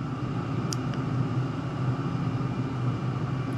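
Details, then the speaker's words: Chinese diesel heater in a garage, turned down from setting 3 to setting 1; -5°C outside, 19°C inside. Low, steady hum with a faint even whir and no surging or misfire clatter. Normal running at the low setting. "So I'm at setting 3. You can hear it slow down. Actually, I'll go down to setting 1."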